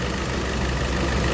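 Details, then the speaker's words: Hyundai Santa Fe petrol after timing chain job with crank and cam timing marks reset, following engine noise: smooth even idle, no ticking or rattle; noise gone, sounds perfect. "Guys गाड़ी ready हो गई। देखिए sound बिलकुल हो गया है perfect."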